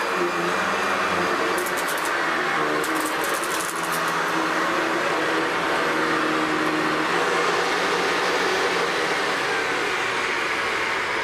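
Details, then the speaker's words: Hoover Decade 800 upright vacuum after oiling bushings and main bearing, fixing the brushroll vibration and fitting a metal fan from an older Convertible: steady, even roar without heavy shaking, then winds down. "oh okay definitely a lot better than before so there we have it Hoover decade 800"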